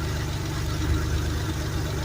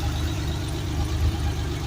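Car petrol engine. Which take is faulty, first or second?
first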